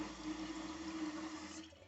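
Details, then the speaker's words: Toilet fill valve not shutting off: float fails to rise, so water keeps running through the tube into the overflow with a continuous trickling hiss; whole fill valve to be replaced. "So that's what the noise that you can hear is because the water goes through that tube. And the floater is not doing its job."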